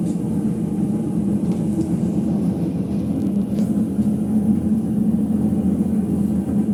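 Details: Ipso HF 65 commercial washer in final spin: deep, steady low rumble building with a gritty undertone, from worn drum bearings.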